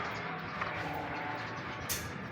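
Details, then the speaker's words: Toyota Vios engine noisy when running: a steady, rough grinding rumble from the belt area; tensioner checked and ruled out, traced to a worn alternator bearing. "Check natin. Tensioner. Wala dito sa alternator. Yun sa alternator bearing mga ka-idol."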